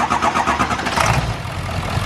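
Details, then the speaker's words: 7.3L Powerstroke diesel that ran on four cylinders (passenger side suspected dead), started with valve cover off after wiggling harness: short crank, catches quickly into even, solid idle with no misfire; needs valve cover gasket. "Wow, it's running great. What the fuck? He needs a new valve cover gasket. Cause that shit was not hitting 5 minutes ago."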